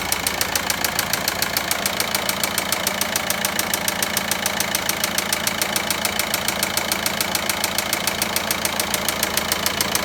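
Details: VW Passat 1.9 engine at idle with a sharp, even ticking knock about three and a half times a second over a steady idle; the cause is not identified.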